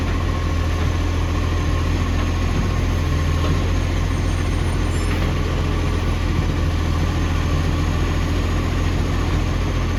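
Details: Ex-Canberra 728, heavy diesel idling with a loud, ragged low puffing and chuff at each firing pulse from an exhaust leak.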